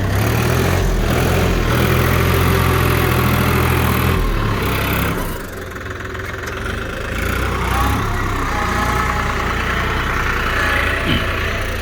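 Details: New New Holland TT3.50 tractor, three-cylinder 50 hp diesel, working in low gear after stalling in high gear: deep, steady rumble that sags briefly under load then pulls back evenly with no knock; engine healthy.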